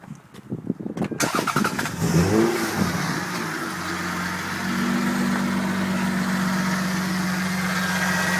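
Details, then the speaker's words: Power steering line just reconnected; engine started while refilling fluid. After a brief crank it idles with a steady pump whine, fluid bubbling: low fluid and air in the system. "You hear that power steering pump whining like a [ __ ] bubbling up inside there."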